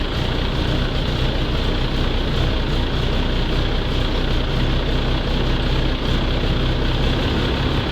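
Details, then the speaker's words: Volvo truck diesel started in the garage after a coolant refill: loud, deep, steady idle rumble with a harsh unmuffled edge from exhaust escaping through a holed muffler. "запустилась глушитель дырявый и находиться в гараже Нереально"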